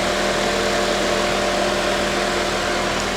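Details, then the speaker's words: Front-end-undamaged convertible at salvage auction, rear damage, boosted start: even, steady idle with constant mid-pitched hum, no misses, knocks or ticks; normal idle. "see everything is up front hold on she's dirty but she sounds really good"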